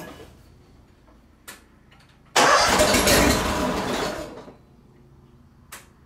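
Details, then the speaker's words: John Deere 318 mower repowered with a Honda engine, previously only clicking, after adding a normally open ~40 A relay to the starter circuit: a click then about two seconds of strong, even cranking; normal crank and start. "okay that's a normally open relay and it was about a 40 amp relay I think is what they said it was let's just see what we get"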